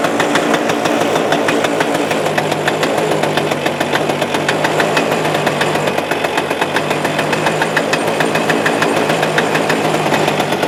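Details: Suzuki Address 110 engine, loosely sat in the frame with nothing bolted, starts first pull; a fast, regular metallic ticking stays even over the idle, unchanged, so the motor must come apart; a bystander blames the muffler: an internal rattle.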